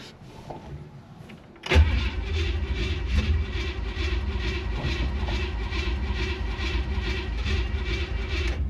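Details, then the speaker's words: 1967 Chevy Impala small-block V8, pedal pumped to the floor before cranking; it needed heavy pedal bumping to fire last time: starter churns steadily with even pulses for several seconds but the engine never catches; long cranking without starting. "Come on. Did you sabotage me? Maybe. But I had to bump the hell out of it to get it to fire last time."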